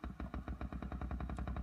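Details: 1975 Fender Super Reverb amp (Silverface converted to blackface): low regular thumps about seven a second pulse through the speaker at slowest tremolo speed, the tremolo circuit ticking into the output; tremolo intensity also weak below eight.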